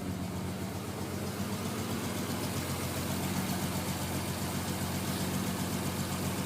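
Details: Non-turbo Nissan R33 at cold idle after sitting about 2 days and hard cranking: uneven chuffing beat with occasional stumbles under low drone, misfiring until about 10 minutes warm-up; coilpacks, injectors, gasket, fuel supply checked fine; cause unknown.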